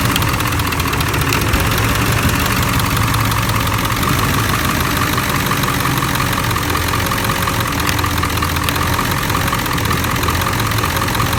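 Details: Ford 7.3L Powerstroke diesel at idle with a lumpy, uneven beat as bank 1 injectors intermittently drop out; suspected short or poor connection at the under-valve-cover harness, not confirmed.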